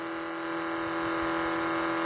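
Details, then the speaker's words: Trans Am nitrous fuel pump running a couple of minutes with a 78 jet: smooth, even electric whine at steady pitch, no surging or rattle, pressure holding right at 9 psi with no leaks; normal operation. "I've run it a while and I ain't seen no leaks yet. And it's staying right at 9 psi."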